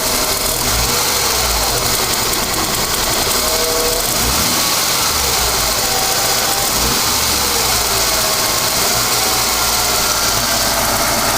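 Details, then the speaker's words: Ford EF Falcon that dies at idle at lights: engine settles to a steady idle around 800 rpm without dipping, fairly normal for this car; fuel filter or throttle suspected, cause not found. "it's probably about eight hundred I mean that's fairly normal for this sort of car"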